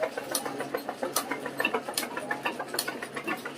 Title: ryobi machine abnormal sound 9840453953